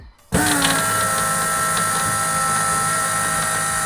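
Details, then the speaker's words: Ford Foxbody Mustang with about 2 gallons of fuel, car tilted forward, key-on fuel system prime: steady high electric pump whine over faint sloshing as fuel returns to the tank after reaching the engine; normal prime with return flow. "No, but you can hear it in the tank sloshing around. Oh, that's what we hear, the return? Yep. So, all right. Getting all the way to the engine and back."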